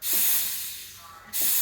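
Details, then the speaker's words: Breville Dual Boiler BES920 espresso machine, freshly serviced, purging the steam wand after steaming milk to clear residue: sharp high hiss bursts, fades, bursts again; normal steam wand purge. "if you don't purge it the steam water will start stinking of milk give it a purge to clean it off of any milk residue"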